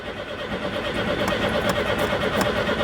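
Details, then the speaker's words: Citroen GSA, air-cooled flat four, cranking on a jump from another car after a no-start. Steady, even cranking waiting on the fuel pump, as fuel starts coming through before it catches. Cranking without starting. "come on fuel pump oh there we go we're starting to get some fuel through"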